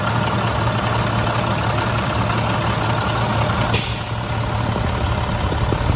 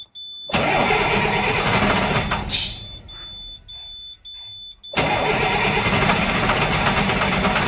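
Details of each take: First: Rebuilt 466E diesel, first start after rebuild, following an earlier stall: a deep, steady diesel clatter at idle with an even beat and no knocks or misses. The engine sounds healthy. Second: Freshly rebuilt 466E diesel, first start after the rebuild: it runs a couple of seconds and cuts out, then short cranking bursts before it catches again. It stalls and restarts hard; it has fuel, and a loose connector is suspected.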